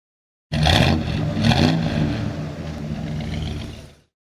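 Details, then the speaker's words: 1972 Chevrolet Chevelle with 454 cid big-block V8 and 3.43 rear gears, started after an underbody inspection: cranks and catches quickly, then settles into an even, deep idle with a steady rumble, no knocks or misses; normal start and idle. "what we're going to do now is drop it down start it up and so you can hear the engine run"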